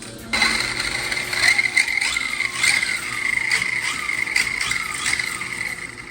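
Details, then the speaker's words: CEN Racing Puma rally RC car after reseating a pinion gear that popped out and refitting the spur gear; motor spools up and down with clean whine, no grinding or skipping; gear mesh neither too tight nor too loose. "I think that sounds about right. Doesn't sound too tight, doesn't sound too loose. I think it's just right."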